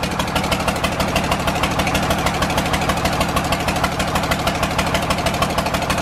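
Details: John Deere 4040 diesel tractor just revived after sitting for years: steady idle with an uneven, lumpy beat about three times a second, one cylinder not firing.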